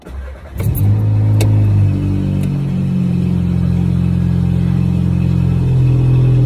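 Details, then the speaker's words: VW Passat 1.8T with new CTS turbo downpipe, intake and JB4 tune, cold start in garage: loud flare then low idle pulsing about four times a second, audible but not visible on the tach; owner unsure of cause. "I've got a little bit of a pulse to my idle as well. I can hear it more than I can see it. I can't see it on the needle at all, actually."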